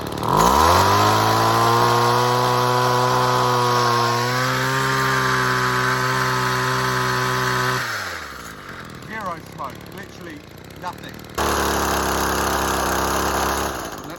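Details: Chainsaw running six-month-old ethanol-free 91 fuel with a 50:1 oil mix from a quarter tank. It snaps cleanly to a steady high scream and drops back, revving freely with less smoke and better acceleration; normal revving.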